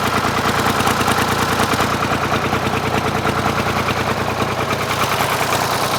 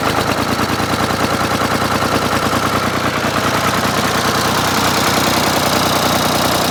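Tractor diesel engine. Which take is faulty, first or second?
first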